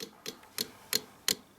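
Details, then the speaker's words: Yamaha FJ1200 before first start after rebuild, engine off, fuel pump forced on via the reserve setting: crisp, even clicks about three times a second; normal fuel pump priming. "pas si on entend c'est la pompe à essence là je la mets en marche forcée avec la réserve"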